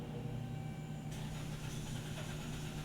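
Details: 2011 Chrysler Town & Country / Dodge Grand Caravan, 3.6 L, 115,000 miles, with intermittent crank-no-start and stalling; it cranks steadily at three or four pulses a second but won't fire, and a fuel system or pump fault is suspected.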